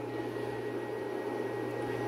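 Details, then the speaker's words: Tesla battery modules (26.5 V and 25.2 V) being discharged at a 1500 W load so they can be voltage-matched before paralleling. The cooling fan kicked on: a steady airy rush, low hum and faint fixed whine, running normally. "So I hear the fan kicked on. It's blowing nice and cool."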